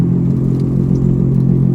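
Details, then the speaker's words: 1996 Volvo 850 Turbo, right front wheel, while driving: loud steady low hum and rumble over road noise that gets worse with speed; suspected worn front wheel bearing/hub assembly, not yet confirmed. "gets worse with speed and it sounds a lot like a wheel bearing"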